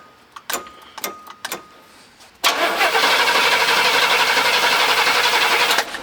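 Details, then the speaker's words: Car being cranked using a JFEGWO CS02-PRO 8250A jump starter: fast, even cranking about four turns a second for three seconds that never catches; cranks but won't start, cause unconfirmed. "okay well the the engine didn't start but that's okay"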